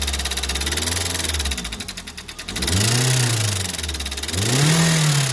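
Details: Unidentified engine: sharp, regular tapping rides over the engine and quickens as revs rise and fall; internal engine knock of unknown origin, timing chain, conrod bearing or tappet noise considered.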